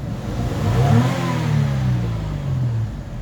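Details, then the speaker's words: Toyota Highlander petrol V6 after ignition coil replacement, which fixed random and cylinder 1 and 5 misfires: revs up smoothly past 2,000 rpm and holds evenly with no stumble or misfire. "you see so the car is now okay. Uh that's fault has been corrected."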